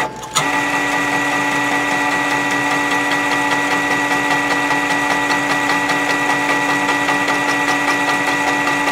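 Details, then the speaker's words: M2X Series DTG printer during fourth, longer cleaning: white ink circulation pump kicks on suddenly, then steady even hum with faint quick ticking; normal pump operation. "so that the white ink is circulating that noise you hear is the circulation pump that just turned on"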